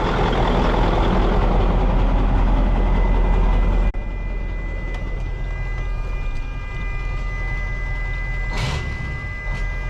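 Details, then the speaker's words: Mack CL713 E9 V8 500 hp diesel truck, newly bought, idling: deep steady rumble with even beat and no knocks or misses; runs pretty smooth. "As you can hear it, it runs pretty smooth."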